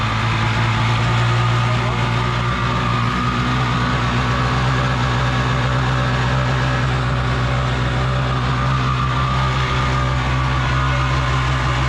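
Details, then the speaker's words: Single-seat aluminum mini jet boat with a 750 Kawasaki jetski engine, run on a hose: steady loud drone with hollow booming resonance at constant revs, wind audible; exhaust leak. "you can see it's leaking out of the exhaust so right now it runs fine without water but when I get the water going through then it eventually gets you know water into the hot part of the exhaust"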